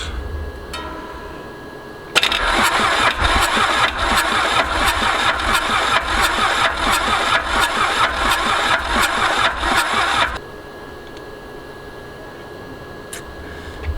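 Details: Mitsubishi K3D diesel in a Ransomes Bobcat mower after 9 years idle, fuel pump and fuel shutoff off, ether given, no glow plugs: about eight seconds of steady cranking with even compression beats, never catches; cause still unknown.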